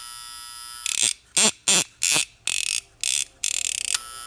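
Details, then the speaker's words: Seiko DP 690T flip clock alarm: harsh high coil buzzing in short bursts as two vibrating bars touch when alarm triggers; separating them stops sound; normal alarm buzzer. "Left will clip up allowing these two bars to connect and that's what's causing the sound and just separating them stops them so the vibration is actually always there it's only when they're brought together that you can hear it"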